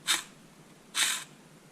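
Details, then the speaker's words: 2000 Camaro 3.8L V6 5-speed: the old clutch release (throwout) bearing, removed during clutch replacement, gives short gritty rasping whirs when spun by hand. The bearing is worn and confirms the noise heard before the repair. "yeah, the bearings were toast in this. So I was right. I was hearing some throwout bearing noise."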